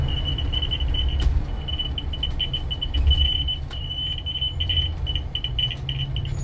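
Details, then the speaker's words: Work bus: high thin chirps in short bursts over low engine rumble; side emergency exit alarm falsely triggering, owner suspects rubbing wire, not plunger; door must be reopened and shut before shutdown. "Not the plunger, maybe there's a wire rubbing somewhere, but it's definitely the side emergency exit, because after it's done this, I've got to go back open and shut the door once or twice so that I can turn off the bus without the alarm going off, because somehow the bus thinks that the emergency exit's open."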